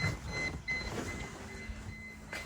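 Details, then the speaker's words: Mercedes CLK55 AMG with limp mode and poor throttle response: ignition on, engine off, a faint steady electric whine as the fuel pump primes normally under light background clatter, before the throttle relearn. "what you should hear is the fuel pump which is going"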